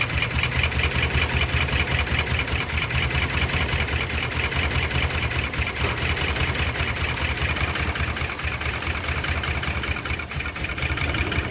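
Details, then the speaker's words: 2010 Dodge Ram 5.7 Hemi after new cam install, with fuel in oil: V8 idles with an uneven, lumpy pulse; rough idle misfire traced to a pushrod not seated in its lifter. "let's take a look uh how the engine is running right now it's clearly running rough"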